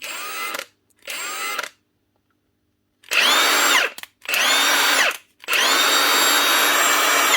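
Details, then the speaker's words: Milwaukee M18 impact wrenches (ONEFHIWF12 and US 2767-20 / 2863) after replacing the rear bearing cover to cure rattling and growling. Short bursts of clean high motor whine spin up and down with no rattle or grinding; the motor runs healthily. "That's her. 2 Milwaukee nut guns ready to go. It's not often you get them fixed."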